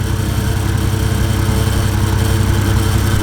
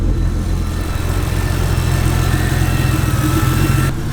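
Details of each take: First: First start-up of a 1JZ-VVTi inline-six swap: a quiet, smooth, even idle with a steady low hum and soft exhaust pulse. Engine and exhaust both quiet, so it sounds normal. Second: Toyota 1JZ VVTi swap on first start-up: freshly started petrol engine idles roughly and unevenly for a few seconds, then cuts out, apparently running on fuel already in the engine after priming the pump.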